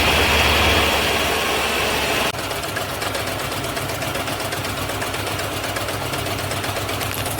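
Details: 1994 Ford Ranger 2.3, 8-spark-plug engine, 228,000 miles, initial start while misfiring: loud start settles into uneven loping idle with steady stumble about four times a second; dead cylinder.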